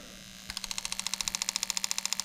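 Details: New 1996-97 LS400 1UZ-FE non-VVT-i harness with standard ECU on a 3UZ test engine, close on injector number one: crisp even ticking about fourteen clicks a second, nothing else over it; injector firing cleanly.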